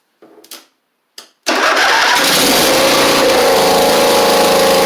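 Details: Husqvarna Z4822 zero-turn mower twin, choke stuck, running without choke: two cranking bursts, then busy uneven idle; right cylinder seems not firing, owner suspects right-side carb needing jets cleaned, unconfirmed.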